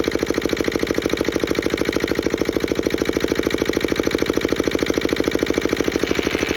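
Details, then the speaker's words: Petter AA1 single-cylinder diesel water pump, started cold after sitting a week: steady thump about three beats a second, perfectly even with a light injector-pump tick; healthy idle. "we you can hear that clinking and that's injector pump working so I have no doubt that this thing will either start first or second pull"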